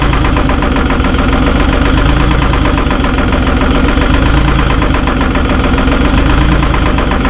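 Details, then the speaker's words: Terex 72-31 loader with 6V53 Detroit two-stroke diesel, first start in 20 years on 20-year-old fuel, started with ether; loud, gruff uneven knocking idle, smoking badly; owner suspects a couple of hung-up injectors. "Sounds like it might have a couple injectors hung up."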